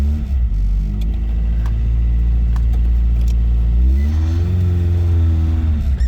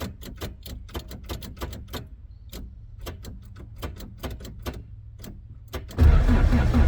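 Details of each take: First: Toyota AE86 after replacing the faulty new starter that was making an awful noise against the flywheel: engine catches with a deep rumble, blips, settles to a smooth even idle; starts and runs normally. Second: Toyota AE86, first drive attempt after track prep: irregular metallic clicks then loud metal-on-metal grind on starting, traced to a brand-new starter whose pinion stayed engaged with the flywheel.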